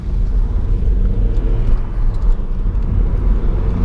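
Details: Audi running evenly after the no-start was traced to stale, solidified gas: a deep, steady rumble with no knocks or misses, healthy and pulling evenly.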